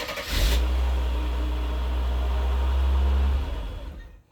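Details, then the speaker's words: Mercedes 300SE gasoline engine after cold start injector replacement, fuel pressure apparently good: revs, then runs unevenly, sags and dies; owner suspects it is losing fuel, with the same fault on the 300SL, cause unconfirmed. "there that's really what it's doing it's losing fuel so folks I need some help here"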